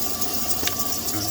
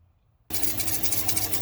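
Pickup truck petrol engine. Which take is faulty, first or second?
second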